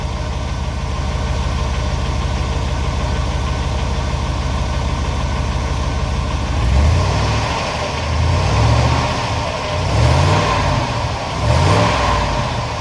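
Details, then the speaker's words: 2500 Suburban, Vortec 6.0 litre, 269,000 miles, started cold after sitting days: rough uneven idle becomes a loose clattering rattle when revved, takes a minute to begin; owner suspects heat riser valve; engine rattle when revved. "i don't know something rattling and clanging in there it's not so"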